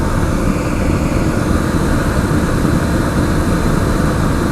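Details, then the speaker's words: Century/ProTemp torpedo heater after repair, running on old fuel with pump pressure at 5 PSI and fired up on the first try. A steady, even low roar with smooth blower rush and no sputter as the combustion chamber glows red; burning well. "sounds good she's starting to glow red so she's burning well and you can hear it"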